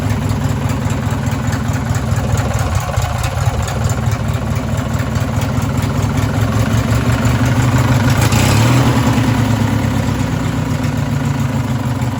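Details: Race lawn mower engine: rough idle with a deep, regular knock every turn that swells slightly as revs rise. A worn connecting rod bearing is suspected.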